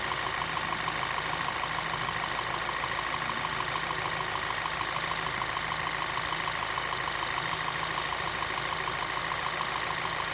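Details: 2010 VW Passat Wagon 2.0T TSI (EA888) idling with a fast, light metallic chain-like rattle over a steady hum; cause unknown, timing chain tensioner already checked and is the new style.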